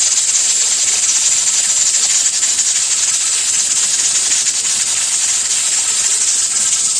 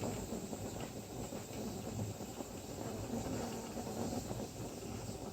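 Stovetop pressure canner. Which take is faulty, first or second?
first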